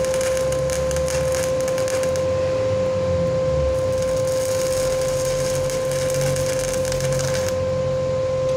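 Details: Lakoni 120E inverter welder repaired after IRF MOSFETs shorted, likely from overheating caused by a wrong non-original fan that has now been replaced. Arc at about 70 A, 204 V drop: steady even frying crackle and faint hum, no dropouts.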